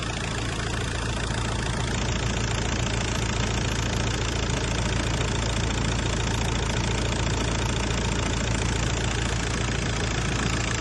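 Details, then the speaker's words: 2001-2005 VW 1.9 TDI PD diesel after coolant temperature sensor replacement, running with heater on to bleed coolant: steady, even idle with the usual hard, tractor-like pump-injector clatter and no misses or uneven beats; healthy diesel idle. "so I'm going to walk up to the car, which As you know, a PD engine sounds like a tractor, and I feel like this is so strange."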